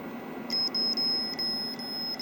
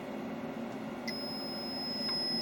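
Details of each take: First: Logic probe on a known-good Moon Patrol arcade CPU board during bus-test looping, checking the data buffer enable line: high steady beep with short repeated chirps, the tone of a toggling signal. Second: Logic probe on the faulty Moon Patrol arcade CPU board, data bit zero tied low, at the data buffer enable: steady, unbroken tone with no pulsing; the line is stuck low instead of toggling.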